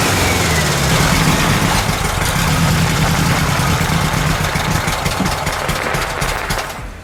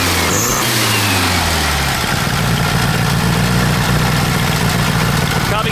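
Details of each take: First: VW Super Beetle air-cooled flat-four after carburetor mixture adjustments, warming up: a fairly steady idle at three to four pulses a second, running more evenly but still not 100%. Normal idle. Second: VW Super Beetle air-cooled flat-four on a cold start with no choke, after a wet distributor cap was fixed: an uneven, lumpy idle with a stumble every few turns. Cylinder four is suspected of not firing; swapping the spark plug wires on three and four is the next check.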